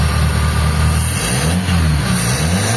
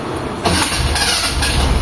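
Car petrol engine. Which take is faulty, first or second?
second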